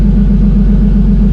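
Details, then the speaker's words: Turbo BMW E30 on E85, attempt two with new fueling table: low steady idle rumble with even beat, no misses, knocks or hunting while warming; idle holding where it should. "Alright, this is attempt number 2 with the new fueling table. So far, it's holding right where it should. We'll let it run for a minute."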